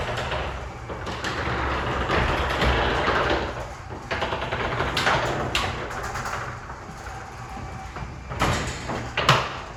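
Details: Wayne Dalton garage door rumbling as it travels while opening and closing, with several sharp, loud pops near the end of travel; cause of the popping not yet pinned down.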